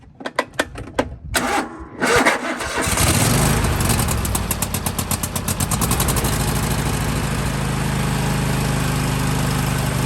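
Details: John Deere/Husqvarna/Craftsman lawn tractor with Kohler engine, started on full choke after fuel filter change: runs with hunting speed dipping and recovering every second or two; surging persists, dirty carburetor needs cleaning.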